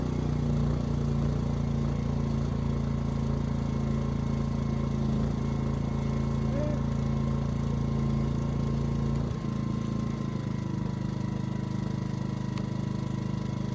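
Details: Ryobi RYI2300 inverter generator, 15 months old, after fix: stalling under heavy load solved by turning the easy-start knob further. Steady drone dips briefly as load comes on, then settles and holds evenly without stalling; normal running under load.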